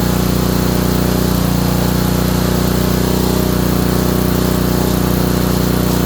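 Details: Honda small engine, probably a water pump, after ignition coil install; loud even beat about three per second with hard thumping edge each stroke. Owner suspects bottom-end knock; oil looked okay.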